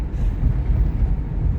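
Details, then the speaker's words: 2006 Chevy Equinox driving after front suspension repair: only low road rumble and wind, no clunks or rattles over bumps; much quieter than before, when it sounded like a bag of rocks. "first of all it's not as loud the front suspension doesn't sound like a bag of rocks going over bumps sounds as good as a 2006 Chevy Equinox can sound"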